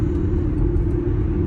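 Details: Car at 57 mph on worn Cooper Endurance Plus tires, rears near wear bar, recorded before swapping to Michelin Premier; owner considers wheel bearings: steady low droning roar, no rhythm or pitch change; tire roar suspected, not confirmed.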